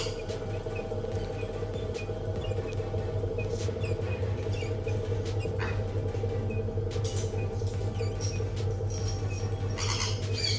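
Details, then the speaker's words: Hatari Slide Smart L1 18-inch fan switched on before repair: steady motor hum with irregular high-pitched squeaks and howling from two worn, dry motor bearings, fixed by replacing the bearings. "อาการที่จะซ่อมวันนี้นะครับก็คือมันมีเสียงดังนะวิดๆหรือว่าเอ๊ะๆนะครับที่ตัวพัดลมนะครับหรือว่าเพื่อนๆท่านไหนที่ใช้พัดลมเนี่ยแล้วมีเสียงหอนนะคือเสียงเนี่ยมันจะหอนเหมือนลูกปืนไม่มีน้ำมันนะครับ"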